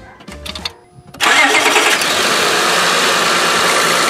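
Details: 2005 Honda Pilot 3.5L after power steering pump replacement and vacuum bleeding: engine catches after short crank and runs smooth and even with no whine or groan from the pump; sounds much better.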